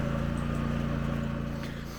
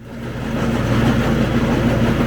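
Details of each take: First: Craftsman ZTL8000 zero-turn mower, 54-inch deck, model 247.25061, with failing deck belt: with blades disengaged and deck stopped, only steady engine hum, no belt wobble or slap; normal running. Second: Craftsman ZTL8000 zero-turn mower (247.25061), 54-inch deck, blades engaged: steady engine drone with wobbling whump about three times a second as belt's bad spot passes pulleys, stops when blades disengage; worn deck belt before breaking.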